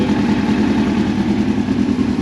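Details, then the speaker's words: 2002 Yamaha FZ1 1000cc, first start after 8 years sitting, after tank cleaning and new petcock, idle turned up: crisp even idle, steady beat, no stumbles or misfires; normal idle. "Ah, look at that. The big fires right up though. That idle is sick."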